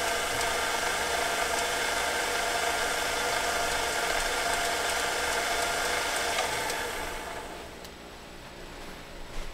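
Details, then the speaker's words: Singer Featherweight 221 sewing machine, poorly lubricated: busy high whirring run with a fast rattle about four per second and the motor speed fluttering up and down; grinding and dry metal-to-metal gears suspected. "this obviously has not been lubricated real well so it's grinding quite a bit [Applause] can you can you hear that listen real carefully you'll hear the motor kind of fluttering up and down"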